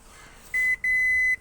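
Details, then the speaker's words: Renault Kwid that stalled on the road and won't start: at key-on two high clean beeps, short then longer, with a warning light and no cranking; battery not the problem. "അത് കഴിഞ്ഞ് വണ്ടി start ചെയ്യുമ്പോൾ വണ്ടി സ്റ്റാർട്ടാവുന്നില്ല."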